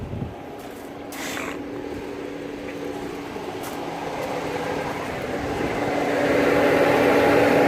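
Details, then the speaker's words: Mercedes ML350 W164 at idle with engine light on and climate control dead: steady rushing air roar building over several seconds as the radiator fan runs constantly at full blast; cause suspected, not confirmed. "I hope you can hear it. Is running from the looks of it full blast."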